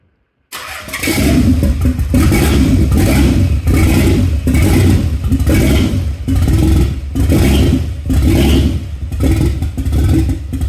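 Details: Nissan 300ZX, originally non-turbo, after twin-turbo and manual swap with boost controller, no exhaust fitted, first start after ignition fault fixed: starts, even throttle blips, steady run, no ticking; sounds healthy, normal running.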